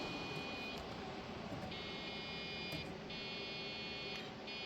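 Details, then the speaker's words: Old computer at power-on being tried for Windows 95: repeating steady high beeps with fan hum, no display; RAM issue suspected. "Nothing ever comes up either. So I wondered if maybe there's an issue with the RAM. That's what it sounds like to me."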